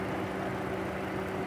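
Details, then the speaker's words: Chevrolet Cruze with low, rough idle: steady idle with a faint uneven stumble, misfire traced by coil current curve to faulty ignition coils on cylinders 3 and likely 1; coil replacement planned, belt noise already fixed with new alternator pulley. "Então nós vamos substituir a bobina cá que aqui tem defeito de bobina aí e eu acredito que já vai resolver todos os problemas do cliente"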